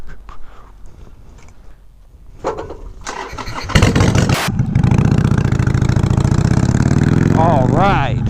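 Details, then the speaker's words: 2007 Harley-Davidson Sportster 883 Low, first start after fitting LAF drag pipes exhaust. Starter whirs, then the V-twin barks into a loud, deep, loping idle with blips. Healthy but obnoxiously loud; owner may add universal baffles. Normal startup. "first impressions this exhaust is obnoxiously loud"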